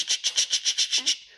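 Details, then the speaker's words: Volvo 145 with welded differential, turning: rapid high tire chirps about seven a second fading as the turn ends; tires scrub because the welded diff forces both wheels to the same speed, used until the converted LSD diff is fixed. "well the welded diff is not uh very pleasant to drive because the wheels want to spin same speed so when i'm turning you can hear the the voice"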